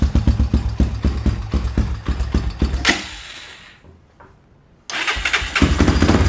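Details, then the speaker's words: ATV just restarted after stator reinstalled: fires right up, runs at a quick uneven lope, nearly dies then picks back up; running rich with the choke on. "Sounds like the choke's on. Yep, choke is on."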